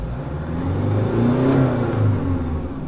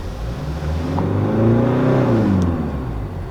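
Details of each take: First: Diesel with VGT turbo, after repair of a jerk on accelerator tip-in, slow acceleration while driving: note climbs smoothly, no coughing or wind rush, steady intake air and boost readings. Normal acceleration. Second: Hyundai Santa Fe diesel that jerks on acceleration, EGR already replaced: revving with intake-air and boost data watched, whoosh and airy hiss as the turbo vanes close badly at the end of acceleration; faulty VGT control solenoid.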